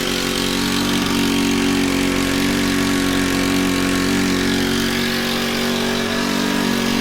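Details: Honda FG110 tiller with GX25 four-stroke, after cleaning oil-soaked air filter and with oil low: high, wavering drone with uneven beat, never settling to idle; overtight 10mm throttle-cable nut holding throttle open, to be loosened.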